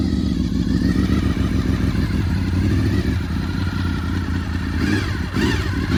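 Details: Honda VFR800 (5th gen) V4 on its first start attempt after 8 years unused, following fuel tank repair, fires with a lumpy, throaty idle and a few blips, then catches and holds. What seems to be water, not fuel, drips from the exhaust.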